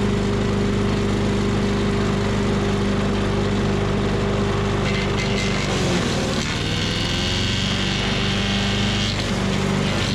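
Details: Tecumseh 5.5 hp engine on a yard-sale MTD Yard Machines chipper/shredder, after carb cleaning, cold start: steady drone bogs hard around six seconds, nearly stalling on a two-inch branch, then recovers; chipping works well.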